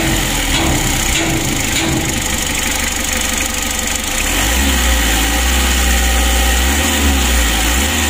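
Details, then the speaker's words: Mitsubishi L300 diesel at idle after adjustment: light regular tick about four per second over steady idle; hum and shaking now gone, ticking said to come from the injection pump. "untuk seorang itiknya ini pada injection pump ya injeksi pump nya itu suaranya etik begitu"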